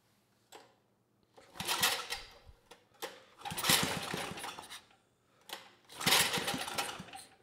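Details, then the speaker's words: 1980s Troy-Bilt Junior tiller, 3 hp Tecumseh HS35, after cleaning the carburetor, throttle about halfway: took a few pulls, then revs in short bursts and picks up cleanly; runs great, idle about 1,000 rpm after pilot needle tuning. "sounds pretty good e e e e yeah it's amazing the difference a clean car makes it took a few poles to start but once it started it ran great"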